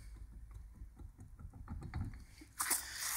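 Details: Worn, failed car wheel bearing, hand-spun on a raised car after checking the wheel bolts, giving a gritty, irregular clicking and low rumble. The tyre shows abnormal wear.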